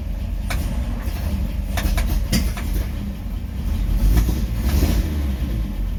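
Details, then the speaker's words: Rebuilt 1953 Chevy 3800 truck with new coil and points, cleaned plugs, choke reduced after too much: low rumbling idle that swells and sags unevenly; owner suspects ignition timing is off and will readjust. "think my timing might be off i might try to adjust that again"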